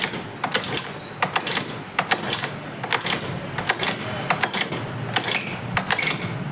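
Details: Motorcycle engine running after oil pump gear replacement, clutch cover refitted, kicked first to circulate oil: quick, uneven ticking from exposed rockers over a light, thin engine note; oil reaching the valve train, engine runs normally.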